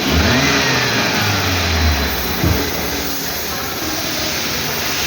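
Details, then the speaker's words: Maruti Carry engine after its noisy alternator was replaced, with no scanner codes: smooth, even running with one brief rev settling back, no whine, squeal or chatter; the noise is gone and it runs healthy. "हे नवीन alternator आपण बसवून लावून चालू करून बघूला आहे बघा चालू केलेला आहे आवाज काही सुद्धा नाही"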